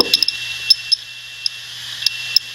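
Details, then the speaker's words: Computer hard drive writing many files, head jumping quickly between tracks: faint irregular popcorn-like ticks ("boop, boop, boop") over a steady high whine; normal healthy seek sound. "So as it jumps around from track to track, it does make a little sort of a popcorn sound. Sort of a boop, boop, boop."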